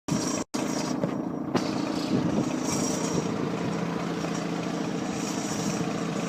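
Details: Mazda RX-8 rotary engine at idle with an annoying exhaust noise: a steady, raspy buzz from the exhaust, a dense sawing drone that never settles smooth.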